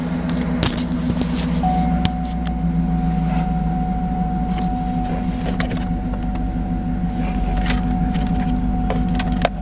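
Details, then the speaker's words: 2010 GMC Yukon Denali XL, L94 6.2 V8, 121,000 miles; steady deep idle with an even low rumble and a faint constant high tone, no knocking or misses. Engine sounds good. Normal idle. "Pretty nice ride. The engine sounds good in it. Got the 6.2 in it."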